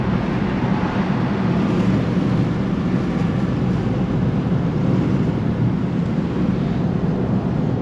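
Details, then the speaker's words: 1951 Cadillac Series 62 V8, 13,000 miles, recorded in the cabin with the window closed at 60 mph and not at full throttle: smooth, steady low drone with even road and wind rumble, no knocks or misses; the engine is in excellent shape. "voilà on est à 60 miles un sens sans problème sans difficulté je suis pas à fond j'ai encore sous la la voiture ce moteur est en excellente forme"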